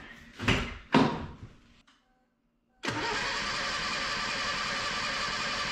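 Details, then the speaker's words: 1977 Datsun B210 after fuel and ignition system cleanup, first start: two short cranking bursts, brief gap, then steady rough run with lots of smoke; engine turning over and catching. "hey it sounds like it's going to start wow that's great"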